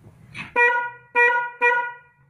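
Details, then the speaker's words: Car horn test: three short honks, each a single thin flat note without the second tone, not stereo; one of the two horns is not sounding. "suara tidak stereo ini disebabkan biasanya dari salah satu klakson tidak bunyi ya"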